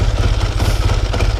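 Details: Dead-cold 1954 Triumph Tiger 500 twin that had not run for quite some time, started after tickling the carburettor: steady, even low thump at idle with light mechanical clatter and no misses, a normal idle after cold start.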